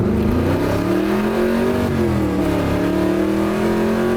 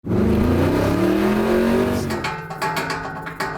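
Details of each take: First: 1981 Corvette V8 after old exhaust and broken motor mount repairs, under hard acceleration: it pulls cleanly and smoothly through the revs. There is no more exhaust clanking, puffing or leak sound, so it sounds fixed. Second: 1981 Corvette V8 floored: revs up and drops back, then loose clunks and rattles as it settles; owner suspects broken motor mounts letting the engine flop, exhaust also old; cause not confirmed.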